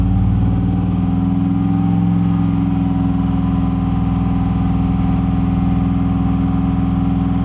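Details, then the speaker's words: 2002 Chevy 2500HD 6.0L with P0300 random misfire for about 20,000 miles despite new plugs, wires, injectors and fuel pump: the engine, held near 2400 rpm, has a faintly uneven, lumpy pulse, a misfire under rev. "as you can here it doesn't run as smooth as it should it's been doing this for about 20,000 miles now"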